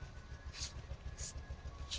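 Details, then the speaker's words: Hyundai i20 after a service, heard at the exhaust at idle: uneven, lumpy pulses with periodic sharper puffs, a misfire; cause not yet found, going on the diagnostic machine. "here's the exhaust you can hear the sound how it's sounding it's misfiring this is a misfiring po so we have to figure out what is going on here"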